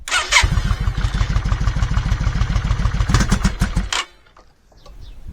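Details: Yamaha Virago 535 V-twin cold start without choke: uneven stumbling chuffing, won't rev, misfires as soon as throttle opens, then dies; typical until warm, owner suspects a carburetor fault, unconfirmed.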